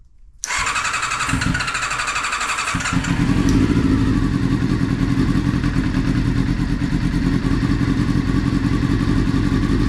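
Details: Honda CBR400RR NC29 barn-find bike, first start during restoration for an Isle of Man road race; catches after a short crank, steady even four-cylinder raised idle, WD-40 burning off. Normal running.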